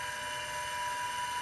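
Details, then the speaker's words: IBM XT 5160 10MB hard drive, spinning on 12 V drawing about 2.5 A; steady high whirring whine at fixed pitch with a rough hiss — dry, worn spindle bearings. "Well, now we're at 2.5 amps. These bearings do not sound happy."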